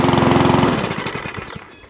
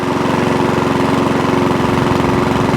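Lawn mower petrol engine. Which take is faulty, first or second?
first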